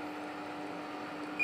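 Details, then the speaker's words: Samsung split AC after installation, remote previously not working: single short high beep over steady low indoor-unit hum as remote connects successfully; amps normal, freezing on pipe suggests refrigerant somewhat low. "ini remote bisa berhasil connect nah remot-nya berhasil connect"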